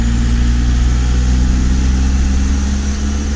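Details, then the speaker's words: VW T3 camper TDI diesel: deep steady drone at full throttle, pulling well in fifth gear, no hesitation or miss. "a push to the floor and turn gear it's pulling as well and fifth gear now speaking for before"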